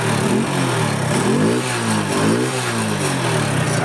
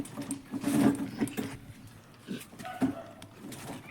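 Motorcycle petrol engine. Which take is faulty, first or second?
second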